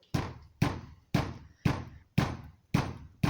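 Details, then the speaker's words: Mazda 626 GF headlight wobbling after an earlier small crash because a retaining clip is missing. When pushed, it gives dull hollow knocks about twice a second as the loose lamp hits the bumper. Recorded before the fix. "now if i do this you can hear it hitting the bumper because it can wobble"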